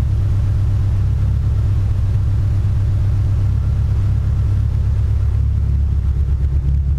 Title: Evo 8 Misfire on 91 fuel